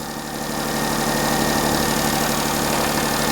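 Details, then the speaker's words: Perodua Kenari at idle in neutral, listened through a pipe at the exhaust front joint that came apart: steady idle with faint uneven chuffing about three times a second; small exhaust leak at the joint. "We're just chuffing a bit actually. So you can hear that."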